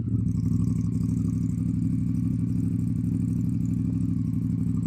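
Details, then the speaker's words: Honda CRF Africa Twin, not started for 2 months, fires straight up: deep, raw, unmuffled exhaust thump at a lumpy idle, much louder than stock; silencer baffle was lost from the can. "And I was at the traffic lights one day, pulled away rather enthusiastically, shall we say, and as I went, Nala just coughed out her baffle, and I instantly noticed that the bike was sounding considerably louder"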